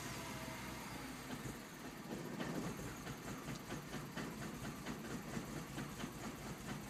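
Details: 2007 MINI Cooper S after sitting 4+ hours following hot running (stop-and-go or hard driving); the engine catches reluctantly, then idles with an irregular, stumbling beat. Hard start and rough idle.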